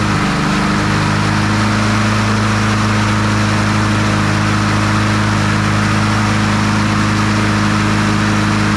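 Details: Troy-Bilt TB200 push mower, Briggs & Stratton 550e 140cc engine, old dark oil, before service: steady, excessively high speed with a slightly uneven note; engine over-revving, RPM to be checked with a vibration tachometer.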